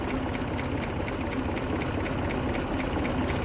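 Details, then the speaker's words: 1923 Buick Model 34 Roadster, original inline four-cylinder with three-speed manual: soft, slow, even idle with a steady beat and no missing or knocking, very smooth; normal idle. "very very smooth"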